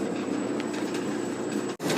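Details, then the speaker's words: Old Maytag natural-gas dryer (model CDG46, 18,000 BTU, possibly 1960s), after replacing the high-limit switch (210°F to 250°F) for a low-heat problem, running with the panel open: steady low drum rumble, motor, and an even burner roar, no knocks or squeals; normal. "ever want to see the inside of a dryer run there's the drum there's a motor pulley flame gas val dirty in there"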